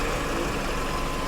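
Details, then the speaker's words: Mercedes SLK230 Kompressor at salvage auction: short steady idle, even hum with faint whine, nothing knocking or missing; runs okay, though car is rough. "it sounds like it runs okay but it's kind of it's a heap"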